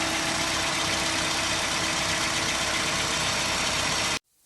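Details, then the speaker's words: Hyundai Accent, warm engine, about 250,000 km, only about 1 L of thickened oil and a filter anti-drainback valve cracked by frost: a hard, busy clatter at about four knocks a second. Rod bearing knock, which disappeared after the oil and filter change. "такое что застучали шатунные вкладыши после чего так скажу сплав срочно нужно снимать под дом и здесь фехтовать"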